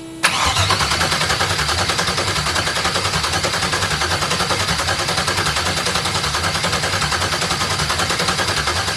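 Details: Audi TT MK1 with an LS V8 swap from a 2001 Chevrolet Suburban on a standalone harness, first start attempt: a steady crank around seventy-odd beats a minute that never catches. Crank no start because the ignition was not hooked up.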